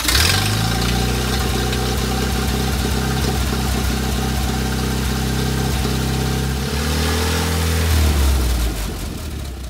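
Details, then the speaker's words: Land Rover Series 1 109 after carburettor replacement and engine pressure wash, test run: steady firm even beat, picks up and drops back smoothly with throttle, slightly throaty exhaust, no misfire or knock; running normally. "Tearing along quite happily there. You hear that exhaust that's just cut off there, she's a bit throaty. Sliding quite well, sounds good."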